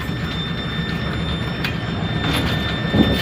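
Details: Bowling pinsetter with sporadic power dropouts, loose wire on motor contactor suspected, just powered on: steady low mechanical rumble, faint motor whine and odd clunk, running without stalling; cycling normally.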